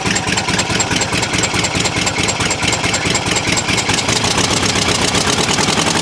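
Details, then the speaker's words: 1973 VW T2 Bay camper, 2 L air-cooled flat-four with twin-choke carbs, poor running and no power, exhaust hanging with broken bolts and gaskets gone: sharp rapid ch-ch-ch puffing at idle; hoped to be a manifold gasket leak, else possibly cylinder head. "now I'm hoping that's uh just manifold gasket if not I think it may be the cylinder head"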